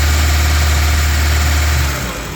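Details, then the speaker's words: EF Civic sedan after timing belt work, rough idle: heavy low rumble with uneven lumpy beat that sags, engine shaking as if running out of fuel though owner says there is fuel; owner suspects possible low fuel, car on level ground. "oh yeah she's shaking like she's running out of fuel but I know I've got fuel in there"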